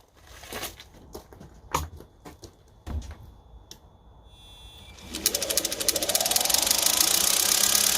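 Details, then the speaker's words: Reva G-Wiz electric car, lithium-ion conversion, drive motor after brush repair: loose clicks then climbing whine with gritty rasp, little commutator sparking; owner suspects brushes need re-seating, possibly faulty commutator, new brushes planned. "i wonder if it just needs re-seating and that's what that noise is now i'm hoping that's all it is"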